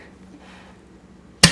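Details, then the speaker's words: Poor man's compression test on an engine during head trial fit, no rocker arms so valves closed: thumb over plug hole, cranked via steering wheel, quiet cranking then one sharp pop with no trailing hiss and no leak-down; good compression. "And that's what you want to hear, that nice pop. Sometimes when you do this and you start ringing it up, you'll actually hear the cylinder leak down, but I'm not hearing that. That's good."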